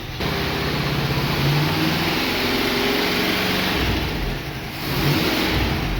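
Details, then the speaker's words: International Scout V8 after 13-15 years sitting, not yet warmed up: deep, rough fast rev with a brief dip and pickup near the end, clearing out, no knocks evident; a pop heard afterward. "Gotta knock the cobs out of it. What do you think of that?"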